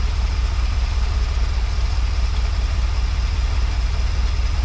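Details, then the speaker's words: Early-1980s (81–82) Dodge 1-ton truck, sat about two years, just after resealing a leaking fuel line, fresh fuel added: deep even low idle pulsing about two and a half beats a second, no misses or knocks; normal idle. "well that was a pretty easy fix seems to be running pretty good"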